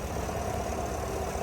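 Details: 2022 Chevrolet Suburban V8 after repair of an engine noise/misfire with flashing check-engine light; cylinder head removed and refitted with new bolts in torque sequence. Quiet, smooth idle with an even beat and no tapping or knocking; engine now runs well.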